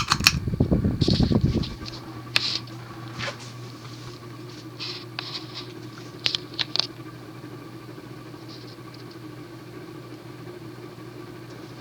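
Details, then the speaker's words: 1984 Union Ngok Kee Gulf Star 52-inch ceiling fan with cast-iron spinner motor and Casablanca blades, on medium speed: steady low hum with a faint even whir and a few light ticks; bearings a little loud but smooth. "let's see what this thing does first we start on no the bearings are a little loud but they're smooth"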